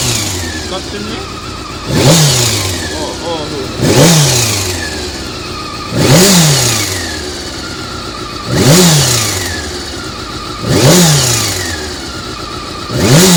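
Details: Honda CBR400RR after riding at Ebisu Circuit: sharp rev blips about every two seconds, each with a harsh rattly burst at the top; abnormal engine noise, cam gear train suspected, unconfirmed.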